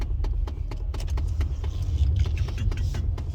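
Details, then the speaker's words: 2008 Chevrolet Impala: quick uneven ticking clicks from behind the dash over a low rumble, a failing HVAC blend door actuator, audible even before startup and easily mistaken for engine knock. "So, but you know, if you don't hear it until after the car start up, some people might mistake that noise for a knocking. Like, oh man, the car knocking, what's that?"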